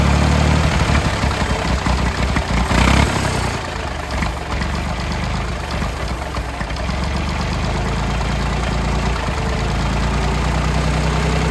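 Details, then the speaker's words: Late-1960s/early-1970s Massey Ferguson 2200 forklift, Perkins 3-cylinder gas engine, first run after 23 years: fast, fairly steady run with a slightly uneven beat, never dropping to a low idle. The throttle won't idle down, cause unknown; the choke is mostly closed to limit revs. "I'm not sure why the throttle's not idling down like it should. I had it blocked off most of the way there with the choke there, so it wasn't trying to run wide open."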